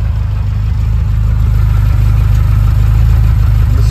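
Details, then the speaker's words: 1980 Ferrari 308 GTSi, freshly recommissioned and tuned, now at operating temperature with the warm-up light off: steady, unbroken low exhaust burble at about three pulses a second; a healthy normal warm idle. "Listen to that fantastic burble."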